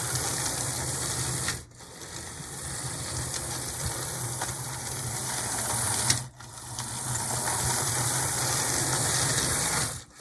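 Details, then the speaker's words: Athearn Blue Box HO B&O model locomotive motor after applying penetrating oil to loosen it: steady hum with a faint fast buzz, dropping out twice as it stalls and restarts; it runs but sluggishly and won't start on its own. "yeah I think just it's working it's just working kind of slowly and it'd be nice for this thing to be able to take off on its own just"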